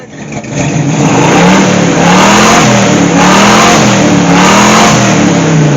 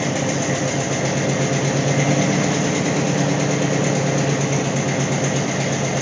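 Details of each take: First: AMC 290 V8 in a Gremlin after repairs, revving: several clean, even revs with the earlier under-hood rattling gone. It runs better than ever but still smokes and leaks oil. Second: AMC 290 V8 in a Gremlin, running better than ever: even, strong idle with a deep rumble and no knocks, but it chain-smokes. Owner plans to fit new valve seals to stop the smoking.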